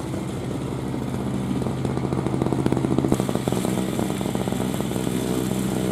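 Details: 2003 Murray single-stage two-stroke snowblower, sat 5 years, clearing a path by the garage: busy crackly buzz holding steady with even firing and no stumbles. Healthy engine working hard under load.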